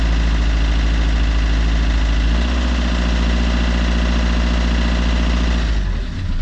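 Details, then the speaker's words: Fiat Qubo 1.3 Multijet diesel after a new timing chain was fitted: a loud, uneven idle with a hard clattering knock over the rumble despite the new chain. Injectors are being considered, but the cause is not confirmed. "il claque pas mal si on écoute le bruit d'ailleurs je devais le faire écouter à Monsieur Julien"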